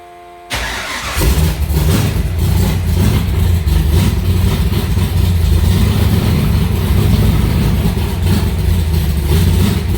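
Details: Alumacobra (Cobra) V8 cold start in the garage after sitting two months, to get oil running through the engine; a short crank, then it fires straight up into a deep, even, rumbling idle with no misses or rattles. Normal cold start.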